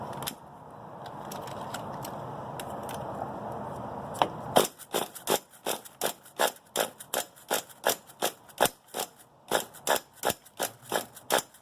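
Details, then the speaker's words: Redcat Shockwave nitro RC on its first outdoor start after a swap to a used, non-original motor; the old motor ran briefly then stalled. It has a 2-speed transmission. Sharp cracks about three per second over a thin buzz, with a loose rattle of unknown cause. "I heard some kind of rattling in there I'm not exactly sure what the rattling might be"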